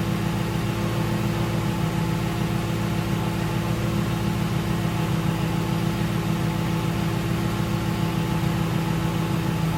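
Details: 2006 Ford Crown Victoria P-71 V8 with stock mufflers, before muffler modification, parked, heard from behind at the tailpipes: deep, even rumble with steady low beat, no rattles or misses; normal exhaust note.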